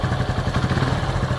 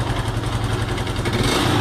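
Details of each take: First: Honda Pop 110 motorcycle, 34,000, brought in for engine noise, after partial engine work: even, quick low putter at idle with no ticking or clatter; runs quiet and healthy. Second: Honda Pop 110 at 34,000, owner complaining of engine noise: loud rattly clatter over the single's firing beat through revs.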